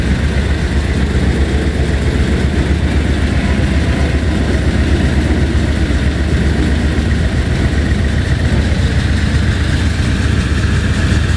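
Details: 1980 Mercedes 450SL, fuel pressure gauge teed into warm-up regulator input line during diagnosis; low, uneven idle that lumps and stumbles; rough idle.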